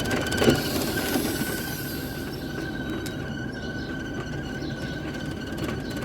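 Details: LG condensation dryer with its cover removed to find the customer's complaint of abnormal noise while running. A thin steady squeal over a low tumbling rumble; the motor and pulley were fine, and the drum was rubbing a loose drain hose.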